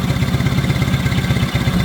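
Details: 1970 Honda 600 (N600) sedan twin after the idle screw was adjusted and the engine restarted with the fuel lines moved off the exhaust. Idle is about 1,200 RPM or slightly more, with quick, even low pulses and no misses, so it idles smoothly.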